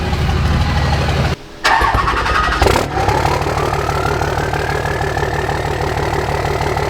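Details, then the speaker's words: Cummins diesel truck, fired up again with a new 64mm Stealth drop-in turbo and custom tune, factory tune skipped: starter cranks, the engine settles into a rattly idle, and a thin whistle rises as the turbo spools. Normal. "Do you hear that whistle on startup?"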